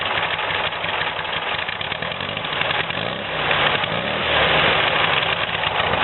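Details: Air-cooled VW engine, newly installed and still on break-in oil, runs well after carbs were cleaned and jets replaced: even, steady clatter rising smoothly with throttle, no misses or pops; occasional smoke cloud after long idling noted.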